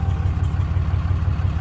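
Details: 2012 Ram 2500 6.7 Cummins diesel just started after alternator replacement: low, regular idle pulse with no stumbling or odd noises; sounds healthy, voltage back up to about 15 V from about 10 V.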